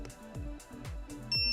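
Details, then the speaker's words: Begode suspension electric unicycle powered on still in factory shipping transport mode: soft thumps then a single sharp beep, it won't balance; exit by holding the cutoff switch and pressing power five times. "so as you can see does not balance and it beeps"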